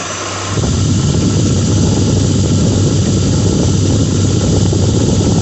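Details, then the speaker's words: 2006 Lincoln Town Car, just started cold: idle with low whirring rumble and loose, uneven rattle, audible outside the vehicle; bad harmonic balancer, after coil packs, plugs, pulleys, alternator, belt and cam sensor changes didn't fix it. "There, you have a bad harmonic balancer. You can see it's audible outside the vehicle as well."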